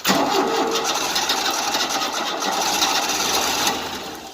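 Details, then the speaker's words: 1988 Tennant 255 Series II sweeper after fuel line replacement, choke on, starting fluid tried: steady quick cranking that never fires; not pumping fuel, so likely not the line, fuel pump suspected. "It's not pumping fuel yet. So it probably wasn't a line then."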